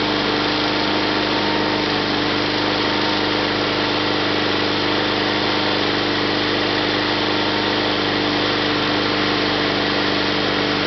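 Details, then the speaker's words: 1974 Sears Suburban SS/16 tractor, 16 hp opposed-twin Onan, out of gear at full throttle: smooth steady high-speed drone, no misses, knocks or hunting; runs good, surges below about a third throttle. "so like I said it runs pretty good it's still it surges at anything less than about a third of Full Throttle um but you know I mean it's in good mechanical shape"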